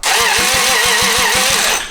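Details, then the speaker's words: Toyota 2JZ engine removed from a Lexus and run out of the car, with known rod knock and the fuel pump fuse pulled after fuel was pouring out: starter spins it at about five even compression pulses per second but it never fires; cranking, no start with no fuel supply. "Oh, you just hear it pouring fuel out. I pulled the fuel pump fuse."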